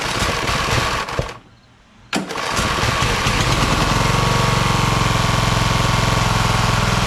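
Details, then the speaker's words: Craftsman LT1000 hydro lawn tractor, second rebuilt engine, choke on, new EverStart U1-R 230CCA battery: cranks, pauses, then fires and settles into even chug about three or four beats a second; starts and runs fine, no-start was just the battery. "How about that, huh? Started after that. So it was just a battery. You need a good charge, you know what I mean?"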